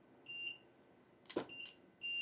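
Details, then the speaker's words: Studio photo strobes on a radio trigger test: high-pitched confirmation beeps, then one sharp flash pop; only one light fires and the others stay silent; trigger or sync problem suspected. "that's only one of you why is only one of you working"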